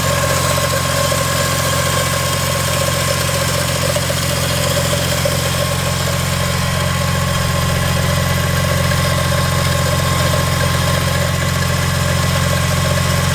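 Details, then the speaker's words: BMW E46 M3 after new spark plugs, ignition coils and valve cover gasket, started on a weak battery; steady idle with a loud metallic rattle about four times a second from a ratchet and socket left on the crank pulley. "But I had my ratchet on the crank pulley to spin the engine. And yeah, so that's what the noise was, is the ratchet and the socket are still on the crank pulley."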